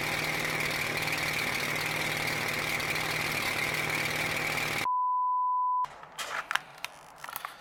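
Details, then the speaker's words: Nissan 240SX after rewiring the mass airflow sensor pigtail: low steady idle drone with a slightly uneven, lumpy pulse; it runs a little better, and the owner suspects a big exhaust leak from the EGR plug on the headers is still causing the rough idle. "it does run a little better I drove it to Autozone so go get some some connectors so I think I think the the big-ass exhaust leak I have from the EGR plug on the headers does that be causing some of the idle issues"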